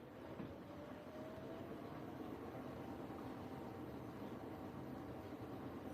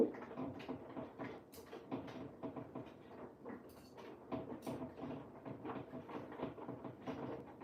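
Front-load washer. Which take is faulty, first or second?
second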